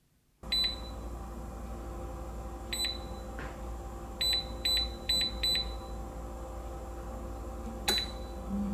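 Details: Salter EK5872 air fryer running after repair of one side not heating (suspected thermal fuse), ready for cooking: steady low fan hum with crisp high beeps as the panel is pressed; normal operation.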